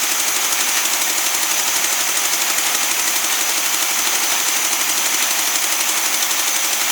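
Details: Newly acquired SpraCoupe air-cooled flat-four for a 1961 VW bus, running on coil from original bus engine: even rapid chattering idle about three pulses a second, no misses; oil light goes off instantly; idles cleanly.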